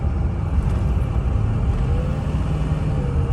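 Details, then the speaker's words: Ford 6.0 diesel truck after cleaning the clogged exhaust back pressure tube: deep, even rumble pulling strongly under load with no hesitation and boost restored; normal acceleration after repair. "All right, so this is the truck after the repair. All right, take a listen. Big difference, big difference. Truck is peppy, truck wants to run instead of hesitating."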